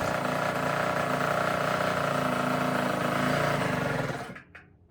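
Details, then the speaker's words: Tao Tao 110 mini quad with a swapped Kawasaki KX60 two-stroke engine, first ride: a raspy steady buzz sags and dies on throttle, a bog and stall. Owner suspects a lean condition, an air leak or the carburetor. "it sounds like it's running uh super super lean or it has like an air leak it's got a bog when I give it gas so there's probably some air leaking in somewhere"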